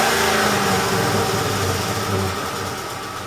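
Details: Ford F150 5.4L 3V Triton V8 dropping back to idle after a rev, with a light steady tick about four times a second. A mechanic later replaced two or three coil packs and a couple of spark plugs, which stopped the ticking and restored power.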